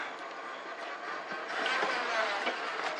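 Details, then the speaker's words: 2000 Ford Expedition 4.6, stalling in drive, in reverse: harsh, steady, gritty grinding as the failed torque converter no longer turns the transmission pump shaft, starving the pump of fluid; clutches and gears good, no drive. "And that's what we're here. That's why we're hearing that grind that that weird noise when I had it in reverse. The pump is starving for uh uh transmission fuel um transmission uh fluid."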